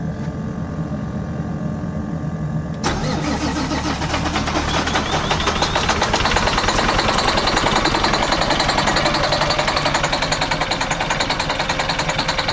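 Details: MCI coach with Detroit Diesel S60 DDEC6 (425hp @ 2100rpm) starting and running on only 3 of 6 cylinders: lumpy, stumbling beat from a misfire caused by an external engine wiring harness fault, later fixed by wiring repair.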